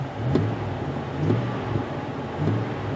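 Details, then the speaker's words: Ford Explorer revved three times, heard from inside with the door closed, after a Magnaflow exhaust was fitted and a rusted catalytic converter flange repaired: muffled revs with no rasp or blowing leak, no louder than any other car; the exhaust is sealed. "doesn't sound much louder than any other car so I think it was a pretty good success there"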